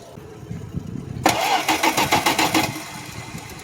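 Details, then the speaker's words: 1972 Plymouth Valiant, cold start on a weak battery through wimpy cables: slow, uneven cranking at about 3.5 turns per second that never catches, with no fuel pressure yet. Crank, no start. "No pressure. Still no fuel pressure. Keep cranking."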